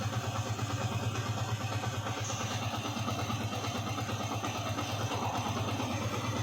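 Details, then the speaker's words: Yamaha Vixion 150cc after rebuild (worn tensioner replaced, new block; previously rough): even steady idle with a low smooth beat, no knocking or ticking; running cleanly, typical Vixion sound. "khas Vixion ya, suaranya memang seperti ini."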